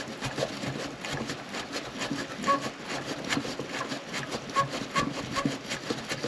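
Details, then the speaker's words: 2008 Yamaha FZ1 oil pump, engine-whine diagnosis, turned slowly by hand with mic held close after sitting a week; dry rubbing with a few short high squeaks, and it took force to start turning; binding, cause unconfirmed. "So you didn't see it stick here, but you can clearly hear that it squeaks."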